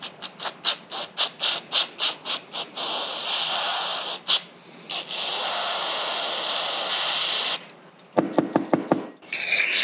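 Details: Lexus GS300 2JZ-GE: the clogged PCV valve, after being cleaned with throttle cleaner, gives crisp light clicks about four a second when shaken, then a spray hiss; the valve now opens and closes freely.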